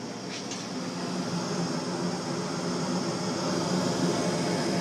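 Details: Frigidaire gas forced hot air furnace with no-ignition fault, running after the heat call was jumped: quiet steady hum building smoothly, no clicking, banging or rattles; normal operation.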